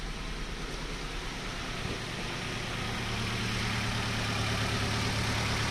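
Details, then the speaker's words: Nissan Rogue idling before coil pack and spark plug replacement, check engine light gone off again; steady low idle with a faint recurring putt breaking the rhythm; misfire from ignition coils and spark plugs. "But this is what happens when you have misfires. Sometimes it clears up and then the light will go off, but you can hear it."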